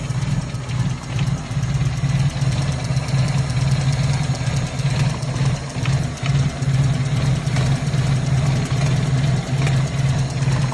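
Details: 1997 Toyota Corolla with hard starting, cold start: a slow, deep, lumpy idle pulsing about two beats a second with uneven dips. The cold engine idles too low on revs.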